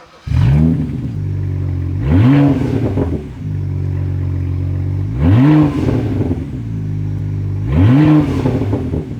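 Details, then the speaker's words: Rebuilt N54 engine in fire-damaged BMW 335i E92, running well after reconnecting exhaust manifold flap vacuum line: sharp revs with crackling exhaust pops and bangs off throttle; likely needs removal to pass inspection. "as you can hear it probably has this kind of pops and bangs I'm not sure how I feel about it"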